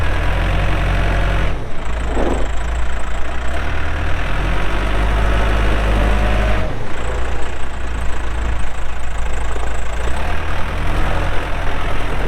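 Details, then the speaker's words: 2007 Case 580M Series 2 backhoe, 4WD, Extendahoe, pre-emissions diesel, 3,812 hours: steady, even low diesel rumble under light work, no knocks or misses; starts and runs good, hydraulics strong, normal healthy running. "starts up and runs good Hydraulics are strong"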